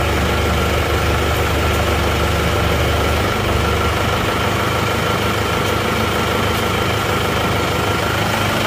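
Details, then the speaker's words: Warm diesel (a Penta from Tulungagung, road-tested about 60 km, no oil leaks) holds a steady, even idle clatter without stumbles or surges; thin exhaust smoke when hot considered normal, healthy idle. "kalau mesin panas itu akan tetap mengeluarkan asap seperti ini ini ada tipis-tipis asap seperti ini ini adalah wajar"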